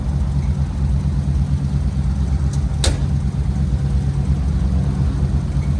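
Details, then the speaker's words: 1964 Chevy C10 V8 first run after sitting for years: steady low idle with uneven loping pulse, a little smoky; misfiring, not firing on all cylinders, rings expected to recover. "yeah she's a little smoky but that's you know as long as it's been sitting it'll take those Rings a little bit to come back around and she's definitely missing out she's not hitting on all cylinders right so"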